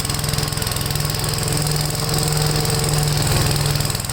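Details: Gravely tractor running a brush hog mulcher deck, PTO engaged after remounting the deck: steady, even engine drone with smooth blade whir and no vibration, shake or knock; normal running.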